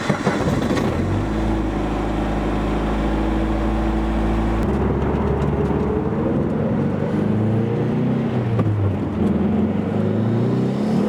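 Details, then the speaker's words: Turbocharged car making about 500 hp, during pulls: steady drone turning into a rough, warbling, uneven roar as boost builds; owner suspects detonation or other uncontrolled combustion, not an intercooler pipe, logs not yet reviewed. "crossed so I took a couple logs of this noise which unfortunately I was not imagining and does not seem harmless"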